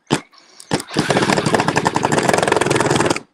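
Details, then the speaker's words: Cordless drill/driver spins up into a fast rattling chatter as the bit cams out of the screw head, because the driver is not held in line; stripping the screw or the bit. "that's just that tool talking to you saying i'm stripping the screw out or i'm stripping the bit out"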